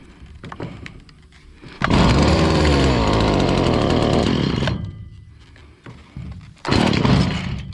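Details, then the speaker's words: Stihl FS70R two-stroke trimmer that bogged down with no power, after removing a gummed-up spark arrestor; fires and revs hard, then sags and stumbles; still bogging, carburetor fueling issue suspected. "still seems like it got a little fueling issue going on I might have to take it and clean up that carburetor"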